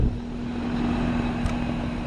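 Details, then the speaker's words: Split-system condenser after replacing restricted condenser coil (hot and cold spots, super high head pressure shutdowns): steady fan rush and compressor hum, no cycling; head pressure now good; normal running. "so we've got it changed out and right now our head pressure is running good because i did have a super high head pressure because it was constriction"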